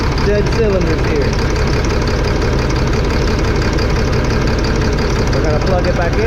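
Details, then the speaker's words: 2005 Fleetwood Discovery, Freightliner chassis, Cat C7 diesel with low power, topping out 60–65 mph: lumpy uneven idle about three pulses a second, no rpm change when cylinders 5 and 6 unplugged; dead cylinder misfire, bad injectors, replaced. "nothing who disconnected no difference in the engine rpm you could hear the good all right we were gonna go ahead and shut it off so there you have it number five and six not working"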